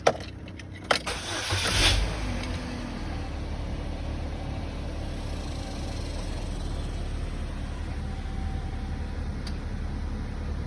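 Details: 2010 Chevy Cobalt LT, 135,500 miles, after replacing intake and exhaust camshaft position actuator solenoids: short crank, catches at once, smooth steady idle with no ticking or misses, no codes.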